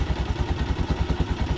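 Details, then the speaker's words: TMX single-cylinder motorcycle idling during a relay and charging-system check: steady idle with a sharp tick on every firing beat, about seven per second; excessive valve-train tapping from the head, said to be a common TMX issue. "Kaya lang mayroong masyadong malagitik ng head niya. So sadya lang ganyan naman ang issue ng mga PMX."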